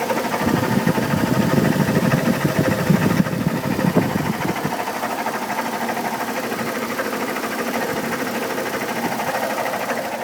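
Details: 2002 Chevy Trailblazer idling with a fast, fairly loud ticking knock, owner thinks from the fan area; fan clutch replaced two years ago, oil pressure checked, codes P0105 and P0420; cause unknown.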